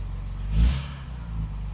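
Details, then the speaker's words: Classic car after the wrongly fitted ignition coil was replaced with the correct one, plus new contact breakers and condenser and static timing set (plugs fouled from carb overfueling); it catches with a short rev, then settles into a steady, even idle, the best it has run. "It's the best it's ever run. It's idling properly."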